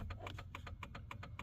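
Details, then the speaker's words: 2001 Dodge Ram work truck, in the cab: right turn signal hyperflash, quick even clicks about three and a half per second, far faster than the left; indicates a blown turn signal bulb. "So that right there is just the indication in cab while you're driving to let you know that hey, you might have a blown brake light or a blown turn signal in this case."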